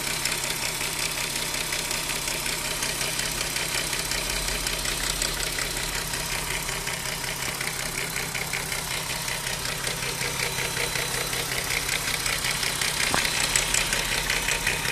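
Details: Audi A3 3.2 at idle: fast metallic clatter about three per second from the timing chain case, gone above about 1,500-2,000 rpm; worn chains, tensioners or guides suspected, camshaft adjusters questioned.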